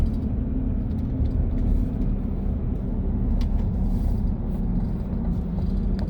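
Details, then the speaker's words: 2023 Chevy Colorado Trail Boss on brand-new 33-inch off-road tires, night drive at cruise: steady low tire hum under road rumble; normal, expected to quiet as the tires break in. "I hear the tires yeah that low hum they're brand new though so they probably got to kind of break them in a little bit"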